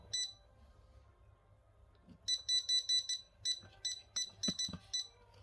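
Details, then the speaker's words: Yamasu laser level at power-on, sitting level: clusters of sharp high beeps, about a dozen in three seconds. Suspected moisture or the conductive rubber ring touching; continuous error beeping, cause not confirmed. "báo là cứ bật lên nó tít tít tít tít tít mà dù để cân rồi nhá Khả năng cao nó nó ẩm"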